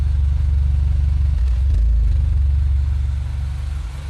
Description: Engine idle surge problem - in 2008 Mini Cooper S (N14).